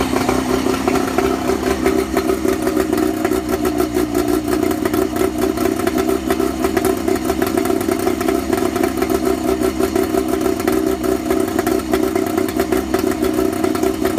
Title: Johnson 50/35 low idle misfire